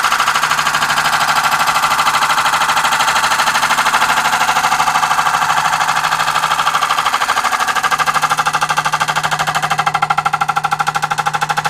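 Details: Wood lathe, light cut on a hybrid oak and cast-resin platter with resin-filled holes: steady rapid tapping about three a second, once per turn, as the tool strikes the high spots; interrupted cut on an out-of-round, uneven workpiece.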